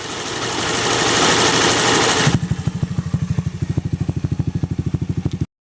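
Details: Zoomer X scooter at idle after the revs drop: a steady tick of about three per second over the idle, keeping time with the engine. Engine clicking, source not pinned down.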